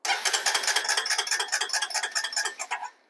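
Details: 2005 Honda TRX250EX ATV, battery 12.6 V resting and about 12.19 V with ignition on, cranking on the starter: steady cranking about two beats a second with no firing; crank no start, no spark from a failed ignition control module.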